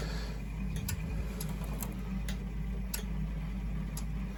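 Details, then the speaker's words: Burnham Alpine gas boiler with no heat or hot water: sharp, irregular clicks over a low boiler hum from a zone valve with a bad end switch; the owner hears the ticking most when very cold. "all right so for starters we got a bad end switch on this zone valve that's ticking"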